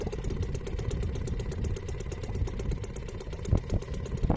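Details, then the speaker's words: Restored old Seagull 40 Plus outboard idling in water after repair, just started, warming before throttle. Steady low burbling tick-over, even firing, no knocks or misses, quiet; normal idle, though owner later wonders if slightly jumpy. "Sounds lovely. It's quiet as well. See if she'll tick over, and she's ticking over nicely."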